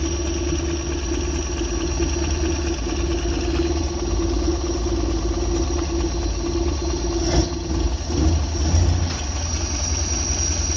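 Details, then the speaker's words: Pinzgauer started with about five quarts of oil and a little choke: steady even low idle with no misses, stumbles or knocks; engine runs smoothly and healthy. "let's do a little choke see what she sounds like [Music] [Music] actually works pretty good"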